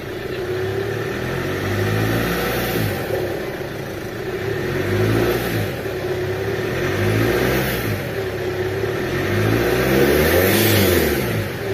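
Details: Chevrolet Captiva common-rail diesel after supply pump work, rail pressure now normal: repeated smooth rev blips with steady even clatter, no misses or knocks; black smoke gone, healthy.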